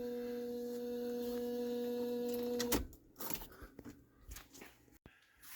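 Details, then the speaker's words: 2004 Ford Mustang Mach 1 with Coyote engine swap: key on, flashing theft light and dashes on cluster, steady low electrical buzz with higher overtone for about three seconds then cuts out, from the constant control relay module (CCRM) buzzing. "anyways it's making this buzzing now buzzing noise now that I don't believe we've heard before"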